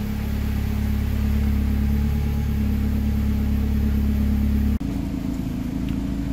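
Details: Car's first start after replacing a worn turbo with excessive play, smoke burning off: steady, even low idle, constant hum, no knocks or rattles; settling and running smoothly.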